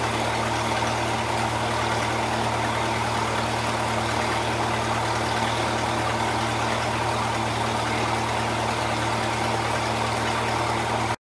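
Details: 1948 Lincoln SA-200 welder engine, long set aside unused and got running with very little work: a steady, even low beat with no misses, knocks or rattles. Normal running.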